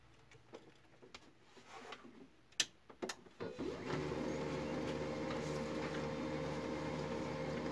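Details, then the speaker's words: HP LaserJet MFP 3055 printing after repair of a jammed lower-tray paper pickup and a dislodged solenoid, gears serviced: a few light ticks then an even, steady feed whir with no grinding or gear chatter; printer now quiet and normal. "इसमें 2 मसले थे, वो दोनों क्लियर हो गए और ये प्रिंटर भी बिल्कुल साइलेंट है।"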